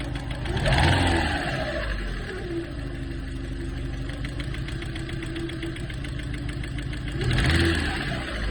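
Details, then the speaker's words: 1990 Peugeot 605 2.0 SRi 121 hp petrol engine, just reassembled, idling with a light rapid knock between two brief revs; knock can vanish after revving to 5000 rpm; cause unknown. "собрали мотора и появился вот такой стук Седа газанул дала 5.000 пропадает"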